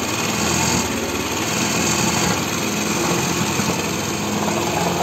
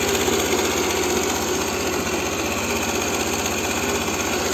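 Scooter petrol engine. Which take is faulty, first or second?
first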